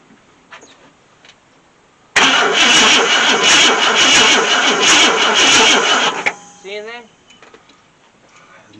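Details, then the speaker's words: 1966 Ford Thunderbird, FE 390 V8, unstarted since 2009, after cleaning contacts: steady starter cranking with even compression beats about three per second for four seconds, never catches; cranks but no start, spark not yet confirmed. "really it keeps clicking i hear the compression they're all moving like they should that's all to me okay that point doesn't run"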